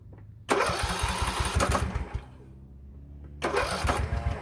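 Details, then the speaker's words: Poulan Pro 18.5 HP lawn tractor that quit in use, oil barely on the dipstick: two bursts of quick, even cranking with light puffing from the muffler and no catch. Low compression, suspected open exhaust valve; the fix was a new push rod. "I'm hearing a lot of noise coming from that muffler. We might have a open exhaust valve. Yeah, sounds like the pressure is just going straight through on the exhaust."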